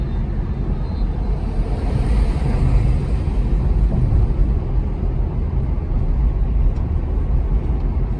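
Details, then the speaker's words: In-cabin steady low rumble from wavy, unevenly worn rear tires, which the customer suspected was a wheel bearing. It stays loud at around 15 mph, doesn't change when loading side to side, and is sometimes louder decelerating; tire noise. "In this case, the tread on the tire is wavy, and that uneven wear is what's creating this constant rumble. So, while it may sound like a bearing at first, this is a classic example of tire noise."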